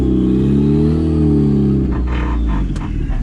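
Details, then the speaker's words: Turbo Mazda Miata, first drive after new tune, new injectors and wiring fixes, misfiring now gone; engine pulls cleanly with smoothly rising pitch under throttle, no stutter or popping, then tire and road noise as tires scrub the fenders; normal acceleration. "Dude, the drivability now with the fresh tuning and everything, no more misfiring."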